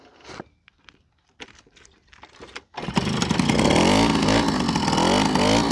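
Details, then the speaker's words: Old moped after 5 years in a barn, old fuel, new spark plug and slightly adjusted carburetor: handling clatter, then the engine catches and settles into an even, buzzy two-stroke run with no misses. It runs normally. "So, 5 years in the barn. No new fuel on it. Just changed the spark plug. Adjusted the carburetor a bit."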